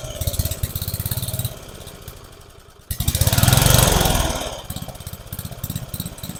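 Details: About 30-year-old family lawn mower, temporary fuel tank setup: engine chugs unevenly, revs up for a second then sags to a lumpy run, acts like it's starving for fuel; carburetor suspected to need adjusting, not confirmed. Engine surging.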